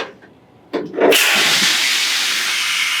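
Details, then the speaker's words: Truck roadside inspection, trailer air lines disconnected to simulate a trailer breakaway: sharp pop then loud steady rush of escaping air as the lines bleed down and the trailer brake sets; protection valve pops off as it should so the truck keeps its air. "that's what we want to hear is you can hear the trailer brake setting that valve should pop off to keep the truck from losing"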